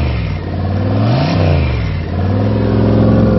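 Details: V8 first start after rebuild with new Gen 4 rods and pistons, oil pump, cam, lifters and gaskets: deep, even rumble rising and falling smoothly with throttle blips; sounds healthy.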